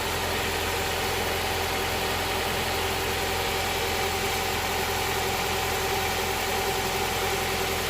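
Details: Honda Prelude SH after oil cooler/adapter gasket replacement, oil filter refitted, started to check for leaks: steady, even idle with smooth low hum, no knocks, misses or rattles; no leak seen after about ten minutes.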